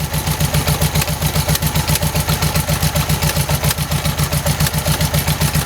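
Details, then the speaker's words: 1971 early-bay VW bus with new carburetor: steady idle with rhythmic pulsing lope about four beats a second, slightly uneven, running a little rough; owner plans timing adjustment, cause unconfirmed. "Alright guys, well it's running. It's just running a little rough. I'll see what I can do tomorrow with the timing."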